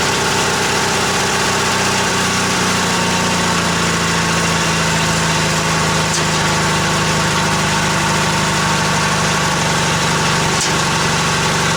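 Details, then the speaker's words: Old Yardman tractor with 4-speed rear end, owner thinks 1979, first start after sitting 4–5 months over winter, choke out; fires right up to a steady, even idle with a loud mechanical rattle on top, no misfire. "Fired right up. Idle's nice."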